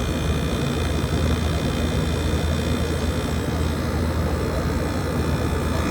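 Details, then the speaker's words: 2012 Frigidaire 18,500 BTU slide-out chassis window/wall air conditioner, R-410A 27 oz, 220 V, nearly 14 years old, first spring startup at about 88°F outdoors, placed outside; compressor starting up. Constant deep hum, steady fan rush, no rattles, clicks or cycling: normal compressor running. "I'll put this outside and we're gonna get a startup of the compressor."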